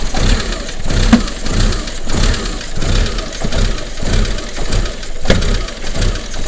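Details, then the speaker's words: Engine with rough running and recurring pressure sensor errors (sensor already replaced): uneven lumpy idle with loud irregular bangs roughly every second; source of the banging not found, cause unconfirmed. "really can't tell i think it's coming from that is there anything in there that moves hopefully you could hear that banging i mean what the hell do you think that banging is"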